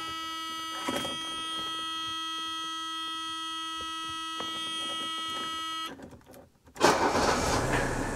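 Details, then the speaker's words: W126 Mercedes started after steering column ignition lock replacement: steady warning buzz, then engine cranks, catches quickly and settles into an even run; normal start, though key still drags. "all right everything works as it should"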